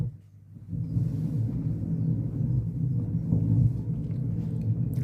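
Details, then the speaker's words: 1990s Vox AC30/6TBX on the brilliant channel: humming rises, then a loud, deep churning rumble with no treble; a noisy fault in the brilliant channel circuit, possibly a resistor or tube, not yet confirmed. "you can hear hear the humming come up there. Going on there. Yes, there's a bit of rumbling there as well."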